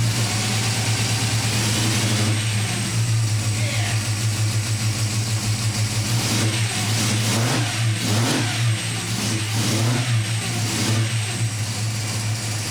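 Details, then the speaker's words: Home-rebuilt Ford 302 small-block V8 with no machine work, at first start in the car with no drive shaft fitted: deep, lumpy rumble picks up cleanly with each throttle blip and settles back, with no knocks or ticks. It runs and sounds healthy. "but I want to at least show you that our oh budget homebuilt small block Ford runs and sounds pretty good"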